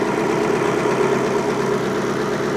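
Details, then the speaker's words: 1954 Ford F600 car hauler V8 idling with an uneven, lumpy beat; after swapping coil packs between cylinders, unplugging and replugging that coil makes no difference, so one cylinder is dead from a failed, relatively new coil pack. "I disconnect and reconnect. Makes no difference. So we have a dead coil pack."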